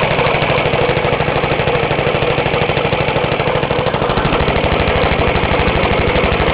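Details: Half-restored 1954 reel mower: repainted Briggs & Stratton 6S, 1.6hp, non-original shroud, pull start removed, homemade throttle valve; plus 1984 Montgomery Ward B&S 3.5hp TMO-37425A. Steady, even single-cylinder chuffing, no misses, knocks or rattles; normal running.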